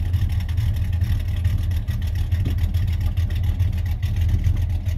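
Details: 1991 Chevy Silverado C1500 350 V8 with Summit cam and 650 double-pumper carburetor, idling around 600–650 rpm: deep lumpy rumble with a loping beat, steady and smooth, no popping; normal cammed idle.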